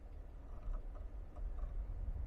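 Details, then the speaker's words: Geely Geometry electric car pulling away; a few dull clunks (ga-ga-ga) over low rumble, louder on hard launch, first suspected motor or lower control arm, actually a factory-fault broken drive shaft retaining plate. "现在起步它就很明显，你听啊，嘎嘎嘎。"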